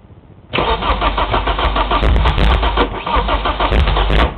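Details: Nissan S14 crank no-start with misfire: long steady cranking about three turns a second, uneven splatty pops as cylinders fire sporadically but never catch; all 4 plugs wet with fuel and carbon after 30 seconds cranking; spark, fuel, sensors, battery, cap and rotor verified.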